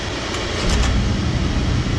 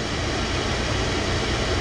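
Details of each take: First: Oil-fired furnace burner at -15°F, reset after tripping; low fuel let air into the line, with white cloudy bubbles in the spray: deep roar with uneven surges as it lights, likely to trip offline from air in the lines. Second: Oil-fired furnace burner at -15°F after refilling the low fuel tank and bleeding the line until fuel runs clear with bubbles about 99% gone: even, steady roar, no surging or pulsing, holding flame; expected not to trip offline again.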